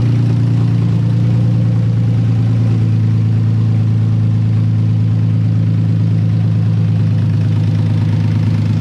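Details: Nissan 240SX S13 with swapped VQ35DE refreshed with new bearings, gaskets, rings and seals; makeshift cap on plenum purge port; deep, steady idle with even loping exhaust pulse, no misses, knocks or ticks; normal idle.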